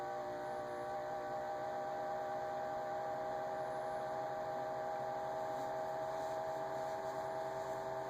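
A steady high whine holds at one pitch over a faint hum throughout, an abnormal fridge whine whose cause isn't clear.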